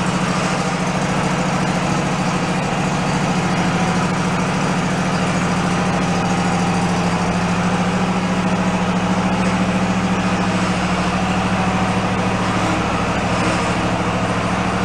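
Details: Toro zero-turn mower with low hours after sitting about ten years: a steady low drone with an even pulse of about three a second. The engine idles smoothly.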